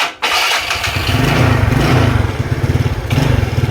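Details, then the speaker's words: Yamaha Mio Sporty 115 scooter with hard starting and no stable idle; fires after short crank, then idle surges up and down unevenly, never settling, dies when throttle released; vacuum leak at the fuel cock upsetting the mixture. "Umaandar naman pero paiba-iba. Tataas menor, bababa tataas menor."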